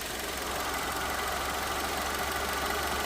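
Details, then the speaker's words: Engine idling with A/C switched on: a busy, uneven rattle and whir from an internal noise in the A/C compressor, which is also deficient. Compressor and condenser are to be replaced. "Además de que hay un sonido interno en el compresor, hay una deficiencia en el mismo."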